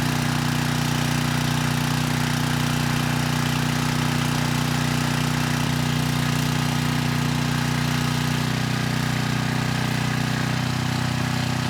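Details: 6,000 watt Troy-Bilt generator after AVR adjustment to 119.9 volts, 3000 watt load test: steady, deep drone with a slight settle in pitch near the end, above 60 hertz at about 118.6 volts; normal running under load.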